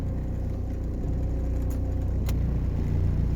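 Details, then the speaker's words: 1993 Vauxhall Cavalier Mk3 1.7 turbo diesel (indirect-injection GM engine): rough at idle, but steady, even deep diesel drone once revs are raised; engine runs smoothly off idle. "you probably hear that and see in the camera idle it is quite rough as soon as you raise the revs it's lovely"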